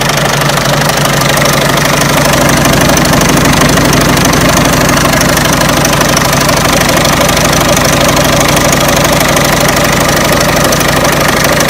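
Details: Peugeot 307 1.6 90 hp engine: a sharp, fairly regular knock of about two per second rides over the idle throughout. An internal engine knock; the owner asks where it comes from, source needs locating.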